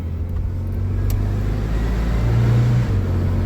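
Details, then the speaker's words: Austin Ambassador Y-reg automatic after gearbox fix: steady low drone pulling away, brief dip near three seconds as it upshifts cleanly and smoothly; normal. "And up she goes. Holding it well. Oh, yes. Nice. Performing nice. I'm happy with that."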